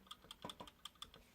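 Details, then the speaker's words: Sequential Circuits Pro-One synthesizer keyboard: light dry ticks with each key press from the contact wires tapping the bus bar; normal, nothing wrong. "when you play this thing you'll hear the tapping sound now I know what that is that's the sound of this wire knocking on that"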